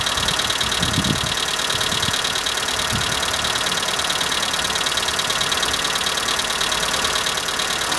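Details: Skoda Fabia at cold morning idle. Fast ticking about three times a second from the valve train. All hydraulic lifters were replaced over three dealer visits (3, then 1, then 12), yet the sound is unchanged. Cause unconfirmed.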